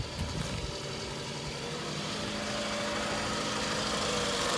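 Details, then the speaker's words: Detailed Toyota at auction, running on its own power with check engine light on: lumpy, stumbling idle; misfire at idle, code reads cylinder number one misfire. "oh yeah she's got a misfire to it for sure"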